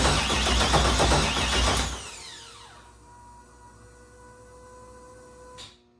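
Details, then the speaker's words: LS3 engine, first start-up attempt, transmission without oil: starter cranks steadily for about two seconds with even pulses and never catches. Owner thinks the coil units lacked grounds to the cylinder heads. Cause not confirmed. "I think my problem was I didn't have these grounds for the spark plug whatever units. Jesus Christ, losing my mind."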